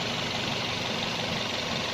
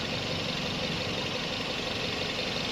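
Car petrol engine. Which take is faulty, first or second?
second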